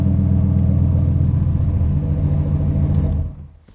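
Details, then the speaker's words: 1998 Lincoln Mark VIII, freshly built forged 4.6L four-cam turbo V8, first start with no coolant and no leaks seen: a short, strong blip of deep V8 rumble, then it settles cleanly with no knocks or misses; normal free revving. "I might have something here 8 sounds smooth I don't see any leaks I'm going to rev it I'm going to rev up a little bit"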